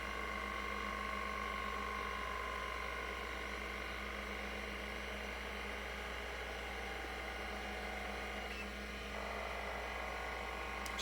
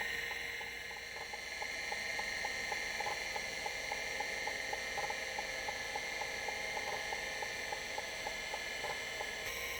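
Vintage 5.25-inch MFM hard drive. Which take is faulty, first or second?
first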